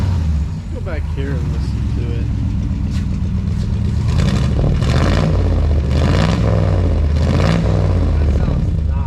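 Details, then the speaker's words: 1962 International Harvester C112-110 truck after Holley 2-barrel rebuild (leaking accelerator pump, clogged squirters), new plugs and wires: low steady idle picking up cleanly on throttle blips, no stumbling; idle needs slight adjustment, runs well. "she is a little idle take care of that right now beautiful beautiful running on"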